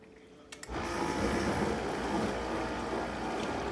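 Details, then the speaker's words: Whirlpool Quiet Partner dishwasher after cleaning a clogged filter screen (chopper blade broken, replacement ordered); clicks then steady even spray hiss, spray arms spinning again, top spray bar that had stopped now at full output; normal wash. "there we go proof's in the pudding she's spinning she's cleaning this dishwasher is fully restored"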